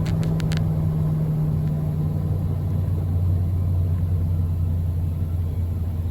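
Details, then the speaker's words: 2005 Nissan Armada SE, 5.6 V8 4WD, cold start at 26 degrees after a reported passenger-side exhaust manifold and catalytic converter replacement and a reportedly welded driver-side manifold: a deep, even rumble with no ticks, knocks or exhaust puffing, a healthy cold idle. "Man, she sounds pretty darn good."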